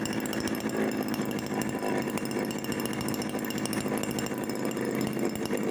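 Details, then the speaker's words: Mini two-stroke engine built from refrigerator compressor, first run on petrol with sharpened carb needle, no reed valve: fast buzzy steady drone, no misses or knocks; clicks at lowest rpm attributed to strap, harmless; running cleanly. "Jadi, jika RPM sangat rendah, akan terdengar suara karena sedang bergerak."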